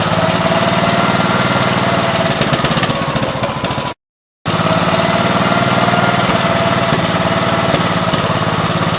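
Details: 1969 Gravely 432 with a rebuilt K321 14 hp single-cylinder engine and a new piston, running for about half an hour. Steady, even beat at a constant speed with no knocking or rattles; healthy normal running. The owner suspects a fuel pump problem causing bad fuel flow.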